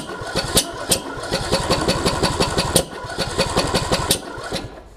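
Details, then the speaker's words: John Deere D110 mower after a rebuild following a detached flywheel magnet: uneven cranking thumps, about three a second, with sharp kicks and half-catches. The owner suspects the flywheel key has put the timing off, though the key looked intact. "hmm that's doing some weird stuff ain't it it's almost like the timings off which it could be if it sheared that flywheel key with the magnets and all"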